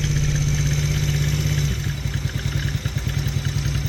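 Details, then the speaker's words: Taotao 125 single, re-jetted, fresh oil change, cold start on a chilly day with choke just off: small revs with a light uneven clatter over the exhaust from the top end, not the bottom end; usually goes away once warm, cause unclear. "It definitely seems to make some kind of noise on the top end though."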